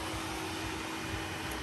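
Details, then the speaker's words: Toyota 1G-FE VVT-i with ECUMaster Black modular engine harness, cooling fan output tested: steady, even whoosh with a constant low hum and no rubbing or ticking; the electric radiator fan spins normally. "switch that off we'll switch that one on and you can see that that one is now spinning and that one has come to a stop"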